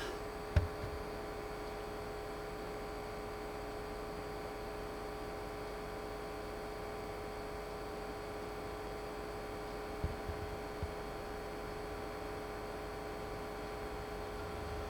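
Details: Optoma UHZ65 projector recorded in a quiet room: constant mid-pitched hum with faint whirring, the typical humming noise other owners have reported the same way.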